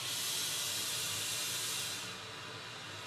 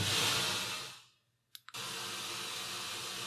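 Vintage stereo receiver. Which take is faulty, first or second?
second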